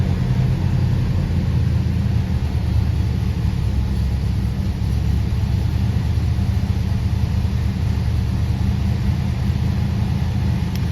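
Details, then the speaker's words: 1976 Oldsmobile Cutlass Salon, 54,000 original miles, carbureted V8 with many gaskets recently replaced, cold start after 24 hours sitting: deep, steady even rumble on fast idle, no knocks or misses; normal. "It's kind of on the fast idle circuit, I think, right now."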